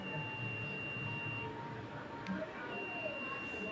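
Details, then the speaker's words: Multimeter continuity test on a wire: steady high beep sounds, breaks, then returns, showing continuity so the wire is intact, not broken. "तो यहां पर कुछ इस प्रकार से आप वायर को भी चेक कर सकते हो। अगर आपके पास कोई बड़ा सा वायर है। ठीक है? मान लेते हैं पूरा बंडल ही है आपके पास तो भी आप इससे बिल्कुल इजीली चेक करके देख सकते हो कि आपका जो वायर है वो आपका खराब है या फिर नहीं।"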